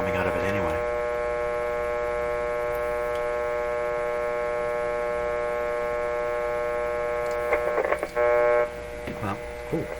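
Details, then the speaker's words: Hum heard from the speaker of a 1925 Magnavox Type D TRF radio when one side of the detector's grid leak resistor is touched. A loud, steady buzzing hum shows the detector stage is passing signal. "so i'm touching one side of the grid leak resistor and you can hear a hump come out of that you hear a big hump coming"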